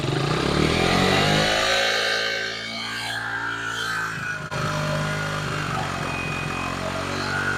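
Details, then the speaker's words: 1974 Honda XR75 with new coil, idle screw nearly all out, mixture screw adjusted: small single drops from a rev to a fast busy idle that won't come down; high idle that can't be adjusted, spark plug to be checked. "So, but let's check this plug. Because usually when it's idling high like that and you can't adjust it,"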